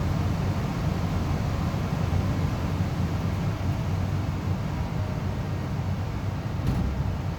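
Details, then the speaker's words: Amana 95 IIQ two-stage variable-speed gas furnace after burner shutdown: steady low airy rumble, no ticks or rattles, as the blower runs smoothly on cooling the heat exchanger and slowly turns off; normal run-on. "So right now it's basically just cooling the heat exchanger. And I really like the way this thing shuts down because it's a very, it's not jarring at all. Like it slowly turns off."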